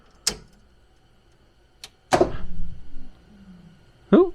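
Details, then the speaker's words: Project coupe, power applied for the first time with harness disconnected: a few sharp isolated clicks seconds apart over near silence as relays pull in, dash coming on; normal relay clicks on power-up. "heard the relays like i said dash coming on which is normal i see that really is loud i guess i heard all three of them because uh you got the one very back there and you got the ones here right here on the fender"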